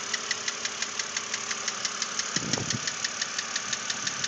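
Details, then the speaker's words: 2006 BMW Z4 3.0si petrol six at idle, about 19,066 miles, sharp steady knock about three times a second; lifters already replaced without effect, owner hopes head replacement will cure it. "it was in once before to have the lifters changed to try to get rid of this knock"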